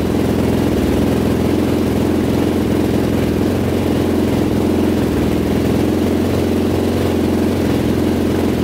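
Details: Rebuilt 2005 Yamaha YFZ450 big-bore quad on its first start after the rebuild and a fresh oil fill: a steady, even single-cylinder idle with a solid low thump and no knocks. The exhaust pipe is glowing red hot, cause unknown.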